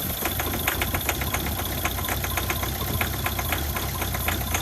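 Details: Ford Focus diesel after replacing the original vacuum pump, suspected of causing turbo, brake and start-up problems: steady idle with fast, even clatter, no odd knock or misfire; normal diesel idle.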